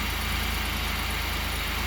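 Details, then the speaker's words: 2005 Pontiac Grand Prix 3.8L non-supercharged V6 after oil pressure switch replacement: steady, even low idle with smooth pulse, no surging; earlier high idle and oil pressure light gone, engine sounds healthy. "the high idle's gone, so that's good. And we come inside the vehicle, and oil pressure light's gone."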